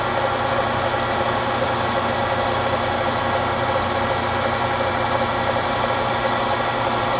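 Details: Webb Whacheon lathe on a phase converter, at the 1010 rpm setting, quick-change gearbox in neutral to cut starting load: steady even motor hum and spindle whir with no knocks or surges; runs smoothly, no converter trip.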